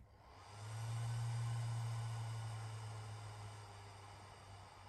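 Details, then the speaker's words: Atomos Ninja V+ monitor cooling fan: soft whirring hiss swells when switching to playback, holds, then settles back; same when returning to record mode, occasional slight tick or rattle. "it really kicks up quite a bit so then settles back in and same when you switch back to record mode"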